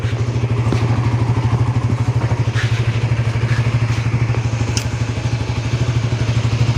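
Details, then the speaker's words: Suzuki GSX-R150 with a stock engine, heard from the left side, after more than 6,000 km of touring. Steady single-cylinder idle thumping about three times a second, no knocks, rattles or odd noises; normal. "tapi itu tidak ada suara yang aneh Hai Nah dari sisi kiri enggak ada normal semua"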